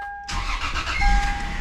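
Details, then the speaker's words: Lexus IS300 2JZ, first start after new engine and transmission mounts, power steering disconnected (check engine light for it): catches instantly, settles to even steady run, no stumble or grinding; no leaks, running good. "Other than that, it seems to be running good so far."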